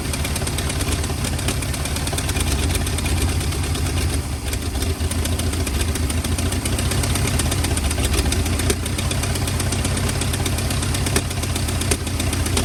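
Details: 1940 or 1941 Ford flathead V8 truck, sat about 50 years, running cold on ether, heads and block not yet warm: uneven, lumpy low idle with a loose chuffing beat and occasional stumbles, spitting unburnt ether.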